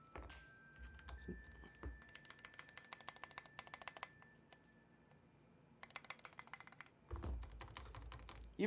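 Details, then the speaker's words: Mode 65 keyboard: bursts of crisp key clacks with small sharp ticks on the longer keys; stabilizers ticking despite earlier XHT lube, need relubing. "oh no I hear the ticks I hear the ticking already"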